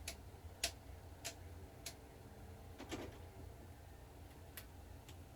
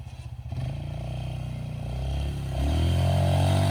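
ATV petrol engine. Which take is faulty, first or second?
first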